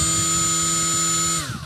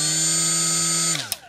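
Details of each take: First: Milwaukee M12 cordless die grinder with a properly seated Roloc disc, free-spinning: steady, even high-pitched whine with no wobble or shake, then a clean wind-down; normal running, balanced. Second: Milwaukee M12 die grinder with an unbalanced Roloc disc: loud, steady buzzing whine, then it cuts off and spins down as the out-of-balance disc shakes the grinder.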